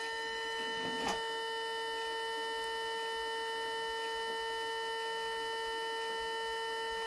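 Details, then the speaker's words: 1995 Mercedes C36 AMG non-ASR throttle body bench-tested under power after a wiring repair. Steady, clean high electric buzz with no rattle or chatter. This is the normal sound of a healthy throttle body motor. "so here we have here we have a nice helm it's like a buzzing sound kind of which is"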